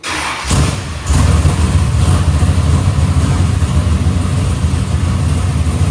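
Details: Box Chevy carburetor after a small idle mixture adjustment: V8 cranks, catches and holds a deep, fairly steady lumpy idle; idle AFR is back where the owner wants it.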